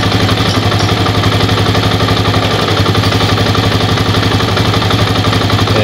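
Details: Old Yamaha Vixion after repair of clattery noise and hot power loss, cylinder machined and new piston fitted: even, regular putter at steady idle with no rattle or knock; single-cylinder now runs smoothly.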